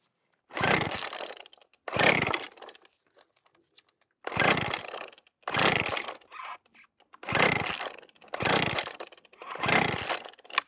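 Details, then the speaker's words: Weed Eater Barracuda SV30 leaf blower, circa 1995–2000, with spark and about 102 PSI compression: seven quick pull-cord rasps, engine spins but never fires; fuel line detached from carburetor, no fuel reaching it. "There's no primer bulb so I have no way of seeing if fuel is getting to the carb. Nothin'."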